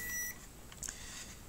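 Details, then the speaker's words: Sony XBR-65X850E TV with no power and high-pitched buzzing when plugged in: multimeter in continuity mode gives a brief steady beep across two diodes in a quiet room, showing they are shorted. "so when I put my mod muler in a short um that is continuity sorry okay see when I when I put this this one is showing a shot and this one too"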